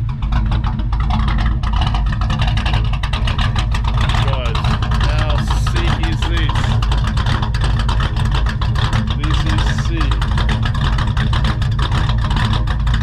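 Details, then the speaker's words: Carburetted Ford XR, newly running, around its first test drive, tune nearly spot on though it tends to stall under hard braking: a steady, even low rumble with no knocks or stumbles and level idle speed; idles smoothly and healthy. "Let's have a bit of a listen to this idle, guys. This thing sounds so mint."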